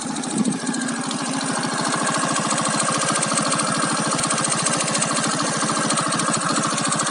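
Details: Keeway Cityblade 125cc scooter, warm engine idling: a quick, uneven rattle-tick a bit over three a second over the motor; source not pinned down.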